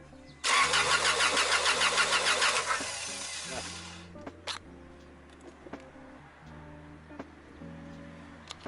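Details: Honda Accord cranks steadily about three turns a second but never fires; owner suspects crank sensor or computer, unconfirmed, and says a shop is needed.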